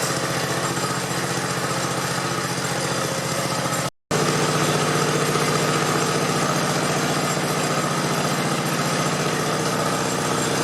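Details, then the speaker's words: 1969 Patio small single-cylinder engine after brake adjustment: steady even running with no squeal or grinding; the earlier noise is gone. "it's pretty quiet now which is nice you could hear it making some noise before where now it don't so I would call that a win"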